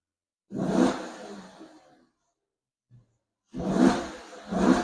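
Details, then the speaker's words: Wrecked 2008 Maserati GranTurismo bought at auction, before its rebuild: three sharp, clean throttle blips that rise and fall back smoothly with no misfire or knock; the engine revs up healthy. "Let's rev it, see how it is or how it sounds."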